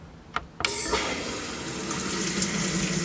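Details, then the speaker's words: GE/Hotpoint top-load washer in service diagnostic mode, hot water inlet valve test: sharp click as the valve opens, then steady hiss and rush of water without sputtering; normal inlet valve fill. "can hear the cold water going in, or the hot water going in."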